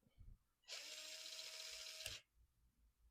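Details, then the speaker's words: Cheap unbranded AliExpress ESC replacing a Hobbywing 1060 in a Lada RC car, bench test before trying 3S: a high, even motor whine held over a second, then stops cleanly with a click; forward and brake work, reverse slightly slower. "So forward and brake work slightly slower in reverse, which I would expect, at least on the bench."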